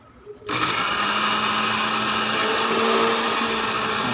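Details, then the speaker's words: Dowell blender that had power but whose motor would not turn, after repair of the on/off switch whose contact had come loose and fallen off: motor spins up after a short pause into a steady even high whir, no grinding or stalling; normal running. "Okay na gumana na uli yung ano yung blender na to"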